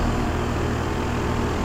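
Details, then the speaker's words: 2001 Trane XE1000 Weathertron 5-ton (60,000 BTU) heat pump running in heat mode: deep steady fan drone with a low buzzing rattle; condenser fan grill and side cover vibrating. "this um the fan grill is shaking the um loot the um condenser cover on this side is shaking"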